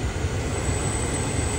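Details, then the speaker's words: 2022 GMC Sierra 1500 (T1XX) with the blower raised from speed 6 to speed 7: a loud, thin, steady whistle rides over the airflow from the HVAC duct case; the noise changes with temperature setting but not with mode. "that whistle go pretty loud."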